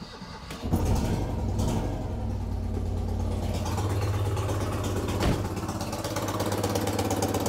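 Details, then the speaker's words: Citroën 2CV twin, first suspected of a blown exhaust crossbox seam: it cranks and catches, then runs with loud, rough puffing and chuffing; a hole blown in the exhaust manifold, with a flap of metal getting very hot. "oh right okay this is more serious when i thought she's blown a hole in the manifold"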